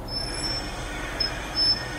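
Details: Toyota Harrier SXU10 while driving: thin, high-pitched brake squeal comes and goes over quiet rolling noise; cause not yet found.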